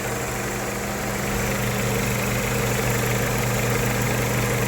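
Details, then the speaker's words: 1998 Honda Civic with replacement used engine after rod bearing failure: smooth, quiet, even idle with steady low hum, no tapping or knocking, like a sewing machine; normal idle. "it's in a really good condition bottom end wise very quiet actually one like a sewing machine"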